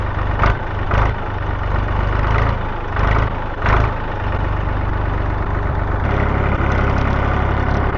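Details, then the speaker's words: Massey Ferguson 231 diesel tractor after repairs, oil, coolant, fuel and hydraulic oil levels good, before mowing: deep, steady idle with a few brief early surges, then an even, unbroken beat; sounds great, runs healthy. "All right, let's rock and roll. Man, this sounds great."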